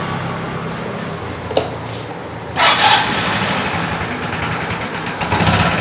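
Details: Suzuki Access 125 scooter engine noise problem; small engine running with a harsh, buzzy rattle that swells on a throttle blip, abnormal mechanical noise, source not pinned down.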